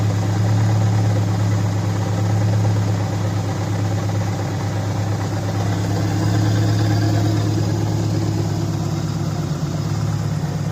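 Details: 2004 Subaru Impreza idling just after engine re-assembly with a JB Weld-repaired stud (coolant-burning fix), coolant burping: steady even low idle, no stumbles or misfire, no check engine light.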